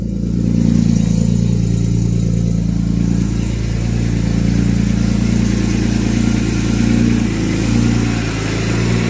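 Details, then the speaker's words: Smooth, even fast idle of a BMW S54 at first start of the day, about 90°F ambient, after adjusting one out-of-spec valve; no more lifter ticking, idle possibly still a little high. "let's see how she sounds wait for the idle come down but as of right now there's no more ticking at all"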